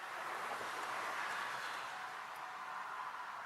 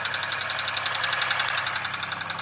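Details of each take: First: 2002 Chevy Malibu after starter install, parked at an angle: about a second of fast, even cranking, engine spins but never catches; crank no start from lack of fuel. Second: 2002 Chevy Malibu after starter install, a gallon of fuel added and key cycled to prime the pump: steady, even idle pulsing with no misses or stumbles; normal idle.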